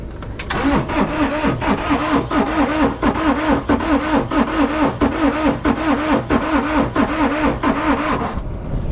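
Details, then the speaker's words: Non-running auction side-by-side cranking slowly and laboriously, about two compressions a second, not catching even with ether on a weak jump pack; owner suspects compression too low. Crank no start. "I wonder if it's just so low on compression that it just can't go"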